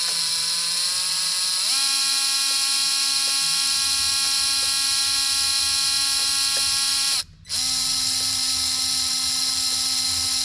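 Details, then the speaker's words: Traxxas TRX4m RC crawler after cleaning and reassembly, battery in, lights and steering working: steady motor whine steps up to a higher even pitch and holds, no catching or grinding; drivetrain spins freely and smoothly. "love it. I don't see anything binding. It sounds smooth."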